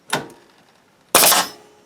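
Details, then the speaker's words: New Bostitch N75C-1 coil sheathing and siding air nailer, sensitive trigger: two sharp bangs about a second apart, the second longer, as the nailer cycles twice; double firing likely from the sensitive trigger, user still learning it. "hear it firing twice there so I got to get used to it"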